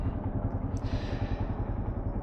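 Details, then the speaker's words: Yamaha Serow single-cylinder motorcycle just after the idle was lowered; an even, lazy putting at a low steady idle with no hunting or stumble. Normal idle, sounds better. "Let's lower that idle a little bit. There we go. That sounds a little bit better."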